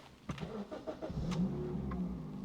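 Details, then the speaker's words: 2004 Suzuki Ignis Sport 1.5 petrol, 172,342 miles, aftermarket exhaust and induction kit; starts, flares briefly, then settles to a smooth steady low idle with no drone or knock, healthy running before a light rev. "considering the exhaust and the induction kit it doesn't uh drone too much actually sounds quite good let's give it a little [Music] rev"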